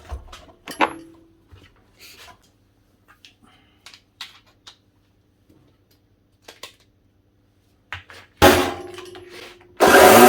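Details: Old Italian Pegasus floor edge sander switched on: scattered handling knocks, then a harsh rough grinding roar; suspected worn bearings as well as brushes, motor sparking at the back and then won't start.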